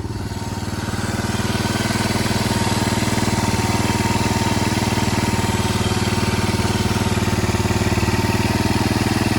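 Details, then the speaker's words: Yamaha 225DX Tri-Moto three-wheeler being restored, mic near cylinder head: steady even thumping idle about four beats a second, no clatter or valve tappet noise, revs fine; normal idle, carburetor needs tuning, air filter needed. "She sounds healthy, dude. We'll have to get some air filter. Listen to that thumping idle. That is beautiful."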